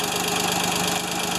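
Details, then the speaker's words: Ford 2600 tractor, gas, first start after sitting a year: light quick metallic ticking over an even idle, valves to be adjusted, rod bearing thought unlikely; owner says the diesel version makes the same noise; valve clatter. "I don't know what it is but I think it's okay like I said my diesel version of this tractor makes the same noise but it definitely has a valve you hear that valve flattering away"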